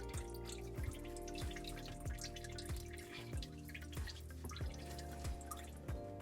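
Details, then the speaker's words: Kitchen sink garbage disposal, reassembled after clearing a jam from a fallen glass, drain fitting being retightened: steady drip about every two-thirds of a second; owner unsure whether it is leftover water or a leak at the drain connection. "I don't know if that's the leftover water or not, because the water is still dripping. Like what?"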